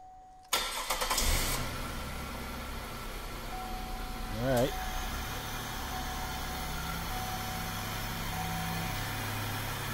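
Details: 2003 Chevrolet Monte Carlo SS, 3.8 L V6 automatic: quick crank, clean catch, then smooth even idle with no knocks or ticks; starts and runs healthy.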